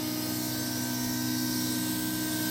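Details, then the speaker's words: Holden VR Commodore V6 turbo ute, fuel-system build for 800+ hp: 044 pump now running with the main lift pump via a jumped relay (pins 30–87). Steady electric hum and mid-pitched whine, no surging; 60 psi, no leaks, normal fuel pump operation. "you can hear that 044 goodness, and we're looking good."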